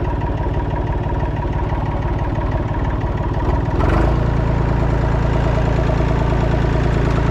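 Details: Massey Ferguson 245 three-cylinder diesel tractor (Perkins tag), revived after 12+ years, burnt/melted radiator, driven to barn; steady low chug firming as load comes on, clean, no knocks. Normal running.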